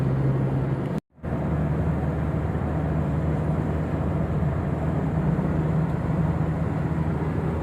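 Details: Toyota Innova Reborn on a toll road at 100 km/h after removing the roof rain gutter (talang air): steady low road rumble and engine drone with no whistling or rushing wind; the cabin is quiet, so the owner suspects the gutter causes the wind noise.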